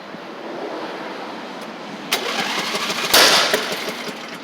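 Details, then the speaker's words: Craftsman LT1000 Briggs Intek after head gasket, valve adjustment, new Champion plug: cranks, catches after a couple seconds, then two or three sharp pops; still backfiring slightly, possibly failing ignition coil, unsure. "still wanting the backp a little bit for some reason it runs good though you can hear it could be an ignition coil partially going bad I'm not sure"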